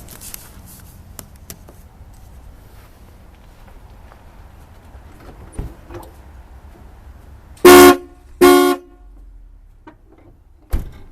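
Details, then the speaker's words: Two AC Delco horns from an early-1980s Cadillac, reinstalled after disassembly, cleaning and repair: two strong, steady, clear blasts with no rasp or dropout. Both horns sound properly. "Alright, so it sounds good. And ladies and gentlemen, that's how I redid these horns."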